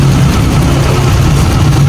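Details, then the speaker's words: High-mileage Yamaha Mio scooter, noise wrongly diagnosed as crankshaft bearing but found to be a cam bearing; weak battery boosted in series: steady low idle hum with no rattle or knocking. Now quiet at idle. "Yan mga boss manager, oh. Tahimik na naman siya. Yan, oh. Diba? Natamaan na tsambahan natin yung kanyang sira. Hindi po siya sigunyal. Ang sira niya lang cam bearing."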